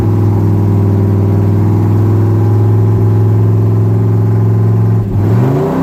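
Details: 1966 Ford pickup V8 after replacing the bank 1 exhaust header gaskets and re-tightening the repeatedly loosening collector bolts. Smooth, even idle and a clean rev with no puffing or ticking; exhaust leaks fixed.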